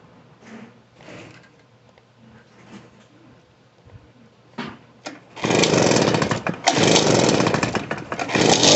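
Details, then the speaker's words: Poulan Pro PR46BT backpack blower with old carburetor, after adjusting out the bogging and turning the idle up: fires and holds a loud, steady two-stroke run with no bogging, running properly. "There we go. Just had to turn the idle up and get her going."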